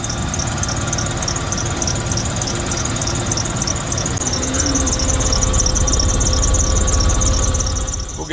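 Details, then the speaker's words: 2001 Dodge Ram 1500 running: high, shrill squeal pulsing steadily, likely from the accessory belt drive; owner suspects the belt tensioner, idler pulley or serpentine belt. "i expect it to be the belt tensioner and idler pulley and maybe just a new serpentine belt them things go out all the time that's very normal"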